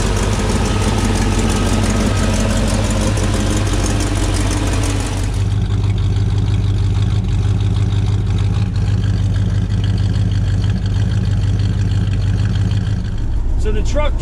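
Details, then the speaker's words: 1948 Chevrolet 3600 pickup, modified 350 V8 (355, 5.8L, 350HP) with aluminum radiator: V8 burbling at steady idle, then a separate whirring as the electric cooling fan turns on; engine sounds healthy. "A modified 350, and this thing sounds good. You can hear the fan turning on there with the aluminum radiator."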